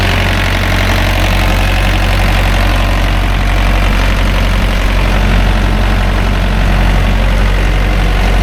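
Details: Thermo King reefer diesel unit after a belt change and full service, box at 70°F: a steady, deep diesel idle with an even low rumble and no knocks or squeals. Normal idle.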